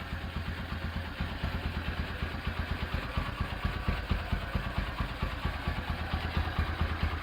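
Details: Rebuilt Honda Tiger Revo single-cylinder engine with reconditioned carburetor and BRT camshaft, idling: even thumping at about two beats a second with a faint carb spit, which the BRT cam causes; the rebuilt engine runs healthy.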